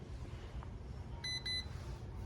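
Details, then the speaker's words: Galactic X drone, fully charged battery, set on flat surface for pairing with remote: power switch turned on gives two short, high electronic beeps, normal power-on signal. "When you're ready to pair, turn it on, your lights will flash. Set it on a flat surface. Then turn on your power switch, it'll beep"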